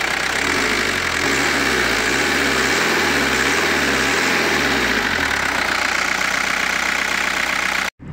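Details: 1986 Audi 80 old diesel, 38 years old, engine bay dry: steady diesel clatter at idle with slight wavering hum early on, then even; no knocks or misfires, healthy.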